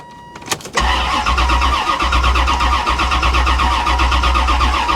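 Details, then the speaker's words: Salvage-auction car on a booster pack, with gas and the ignition found left on, owner suspects someone tampered with it: a steady cranking chug about 2.5 beats a second that never fires, crank-no-start with cause unconfirmed. "she's not even trying guys she's not even trying to start and all i'm gonna do is ruin my booster pack"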